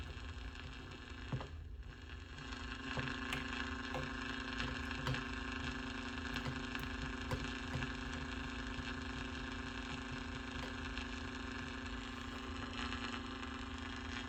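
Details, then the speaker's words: 1949 Packard Bell AA5 Model 100A countertop radio on a variac, slowly brought up to about 90 V during restoration power-up: faint steady hum with scattered crackles and pops through the speaker as the set warms; crackling taken as a good sign. "So let's turn it up a bit more. Give it about 90. And I've got crackling. That's good."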